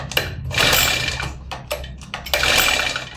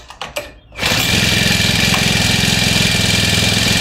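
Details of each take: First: New grass cutter: repeated rasping pull-cord bursts with no firing. No spark appears at the plug tip, so it won't start because the spark plug is dead. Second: New grass cutter: a couple of pulls, then it catches and settles straight into a steady, even high buzz. It starts and runs properly, confirming the fault was found.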